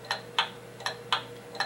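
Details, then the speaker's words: Pendulum clock, beat amplified by a sensor clip on the winding arbor: ticks alternate about a quarter then half second apart, an uneven limp. Out of beat; fix is adjusting the crutch. "after you hear enough movements and hear enough clocks you tend to develop an ear for what sounds right and what doesn't sound right and this is not is an example of a beat that is not steady and even"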